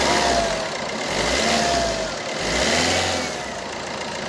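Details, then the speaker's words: Fiat Linea Multijet diesel revved after MAF sensor cleaning with WD-40: revs rise and fall smoothly with an even, steady roar, no misses or stumbles; the old complaint is gone and the engine runs healthy. "അപ്പൊ നല്ല smooth ആയി engine ഒക്കെ നല്ല smooth sound ആയി"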